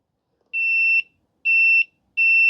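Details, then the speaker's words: Husqvarna 150BT backpack blower that won't shut off with the switch: three high meter beeps of uneven length cut in and out as the kinked wire at the handle edge is flexed. Finding: intermittent open circuit, with copper broken inside the insulation. "See, I'm barely moving. Our brake is right there. The copper is broken inside the insulation."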